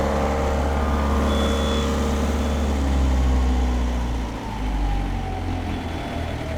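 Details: Perkins 4.108M four-cylinder 50 hp marine diesel after six years unused: steady low even rumble dipping slightly under load and recovering; oil pressure and temperature good, some blue smoke mentioned; smooth healthy running.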